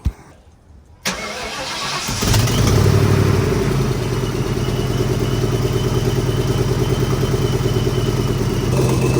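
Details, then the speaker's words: Supercharged engine after rework of the supercharger side, with a leaking rear main seal: cranks and settles into a fast idle with a thin steady whistle and no longer the earlier loud ticking; the remaining exhaust leak. "all right so as you guys can hear we still have that exhaust leak we still have that exhaust leak right here but it sounds a lot better if you guys remember that loud ticking noise that was coming from here now we only hear the whistling which sounds about right"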